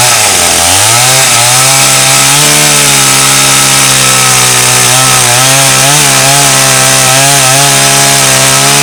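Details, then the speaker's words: Restored trash-find Stihl 084 AV chainsaw, roughly 35 years old, on its first forest test cutting a slab off Australian red gum: a high two-stroke scream dips briefly as the bar bites, then pulls strong and steady; healthy, effortless under load. "Well, that was actually no effort for the big old 084. Cut through that easy peasy."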